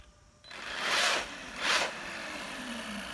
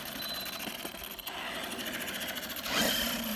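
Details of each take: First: Arrma Kraton EXB 1/8 RC monster truck after diff rebuild (shims, fluid) and grub screw/motor mount fix: two quick passes of smooth high electric whir, no grinding or clicking; drivetrain sounds quiet and even. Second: Arrma Kraton EXB 1/8 RC monster truck after diff rebuild and grub screw/motor mount fix: bursts of gritty, rattling gear noise under power, less than before, slow speed fine; owner says something is still up with the diff.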